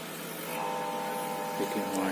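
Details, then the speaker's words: Microwave oven running with its cover open. A loud, steady electrical hum with a thin constant tone starts as soon as it is switched on; the noise comes from the magnetron, which is then disconnected to confirm. "ये देखिए आवाज़ इधर से आ रही है। माइक्रोवेव का आवाज़ इस मैग्नेटन से आ रही है। इसी मैग्नेटन के कारण आवाज़ आ रही है।"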